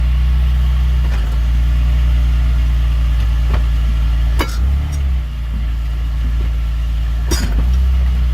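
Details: BMW E46 328Ci at idle: two sharp single clunks from the rear, a few seconds apart, only when changing direction, not when repeatedly moving the same direction; cause unknown.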